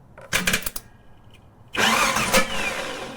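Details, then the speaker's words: Vauxhall Royale Coupé six-cylinder, starter energised via jumper wire on the solenoid: a few sharp clicks then a steady high-pitched whirr with no cranking rhythm; starter engages but does not turn the engine. "and that was the problem there, did you see that? It was engaged but it wasn't moving."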